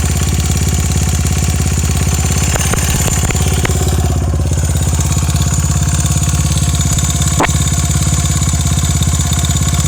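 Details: Honda Ape with 82cc engine: small single thumps at steady idle with a few sharp clacks and snaps on top; owner asks whether this noise is normal, source not pinned down.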